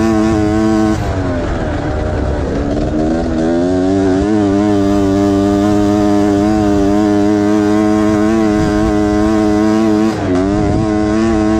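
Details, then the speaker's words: Honda Odyssey FL350 two-stroke after performance overhaul with new expansion chamber, muffler, carburetor, intake and liquid-cooled head, on muddy track: loud, clean two-stroke scream holding steady high pitch at full throttle, crisp and even, no misses; healthy. "it's very fast it's uh and it sounds good it sounds like a proper two stru y screaming the queen of pain"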